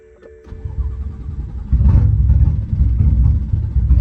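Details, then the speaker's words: BMW F80 M3 after auxiliary fuel pump work that drained the fuel lines: starter churns a long, low, uneven chug that swells without catching cleanly; hard start after fuel lines drained. "That's like the E starts that I was doing. Yeah. Which is a hard time starting. I told you it sounded like it was about to start."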